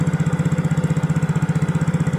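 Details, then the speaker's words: Yamaha Mio J scooter after fix: steady, even putter about twelve beats a second with no knocking; the clattering 'klotok' noise, caused by a loose spark plug, is gone after tightening, engine back to normal. "Nah sepertinya Guys kita akan Nyalakan dulu nah dan suara Cloud roknya sudah hilang guys ini mesin sudah kembali normal adem"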